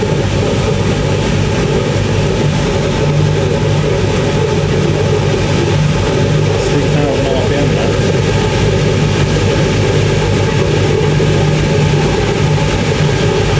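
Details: 1980s Ariston by Colston Electronic 3000 spin dryer, auto pump version, spinning towels toward 3,000 rpm, lid held: steady loud whirring drum and low hum holding even speed; smooth, normal spin cycle.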